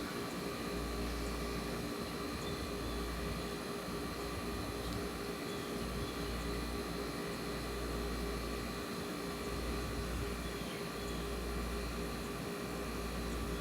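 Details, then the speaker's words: Vintage window air conditioner at first start-up of the cooling season. Smooth, even hum with a steady fan whoosh and low compressor drone, no rattles or knocks; running healthy. "i could actually sit there and listen to that all day i should get like 10 i should get like like one of those uh 10 hour long audio clips for people that want to sleep to it"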